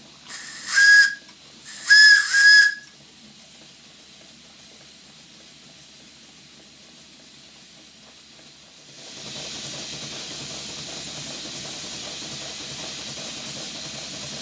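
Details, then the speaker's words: Stuart Twin Victoria model steam engine on a large plant with ceramic burner, 60 psi on the gauge: two whistle blasts then a steady, even steam hiss; engine uses just enough steam to keep the safety valve shut, running perfectly. "s you can hear the engine is consuming just enough steam to prevent the safety valve from blowing off so this is the ideal situation 60 pounds on the gauge and the engine running perfectly well"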